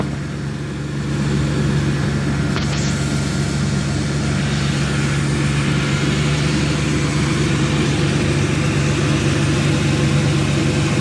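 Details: 2002 Dodge Intrepid 2.7 V6, 213,000 miles, after tightening loose alternator bolt that caused belt squeal when turning wheel; smooth steady idle hum, no belt squeal.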